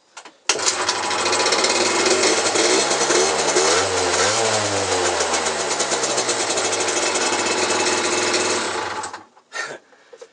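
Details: Peugeot Speedfight 50cc two-stroke moped after the exhaust wadding was turned over, trimmed and rewrapped. Fast, buzzy idle blips up and settles; the exhaust note is even and no longer harsh or rasping, much better than before; normal idle.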